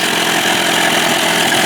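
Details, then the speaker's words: Tracey's Johnson 25 hp two-stroke outboard idling evenly with no popping or sneezing after a lean-sneeze fix without removing the carb (slow-speed needle suspected clogged, butterfly idle position adjusted); normal idle. "well I think that worked ladies and gentlemen thank God sounds good right"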